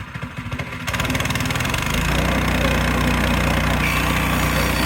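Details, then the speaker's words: Frontier OS18 sawmill with new blade, resawing: engine starts and climbs to a strong steady drone holding evenly under load without bogging; clean healthy cut. "Red oak, went through it like it was butter. Push it through with a finger."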